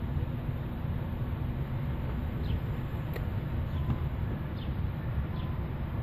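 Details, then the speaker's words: 1990 Nissan 300ZX twin turbo with custom 2.5" turbo-back exhaust, Magnaflow mufflers, JWT intake and ECU tune: deep steady exhaust burble, even rumble, no knocks or misses; idles smoothly and healthy. "all right there she is running everything's nice and smooth"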